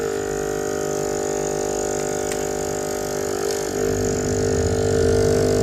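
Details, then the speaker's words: Cheap aquarium/pond aerator for a tilapia pond that stopped making bubbles after about six months, tested after a DIY repair with plastic: a loud, constant rattly buzzing hum. Air comes out but weakly; the pump is running noisily. "Wah, ini berisik banget ini. Keluar tapi nggak kenceng."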